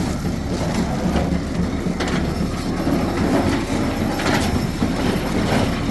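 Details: Old square baler driven by tractor PTO after repairs and freshly lubed chains, running empty: loose uneven clatter of chains and plunger over a steady drive hum, no grinding or banging; baler sounds sound.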